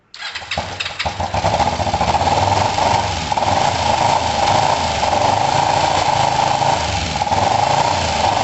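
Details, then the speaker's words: Kawasaki ER5 twin after fitting second-hand replacement coils. It still runs as rough as before, with an uneven, stumbling misfire, and it wants some choke. The owner suspects the carbs despite cleaning; cause not confirmed. "So it's running as terribly as it was before. It actually ran possibly a touch better before."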